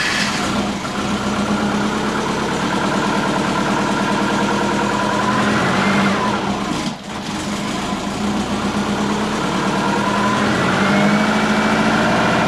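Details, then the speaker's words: Big-turbo Subaru Forester with loud exhaust, warming up during idle tuning: rough, lumpy idle that sags and surges around 750–500 rpm, is reluctant to start and nearly stalls. Idle control is set to ignition only, with base ignition timing too retarded. "I'm struggling, I'm looking at fuel, like what's going on, how come I keep going so low and it's like not wanting to start, and it's lumpy, and it's like sitting around 750, 500. It sounds mean, it sounds like it's going to stall, and then I go to idle control."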